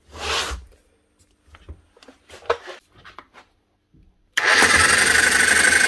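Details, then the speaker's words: Old made-in-USA Bosch GSH 27 demolition breaker hammer in for repair: handling knocks, then motor spins to a steady whine with no hammer blows; dried-up grease no longer seals the piston, fixed by washing out and regreasing. "doing she's jumping but she's not hammering nothing right now"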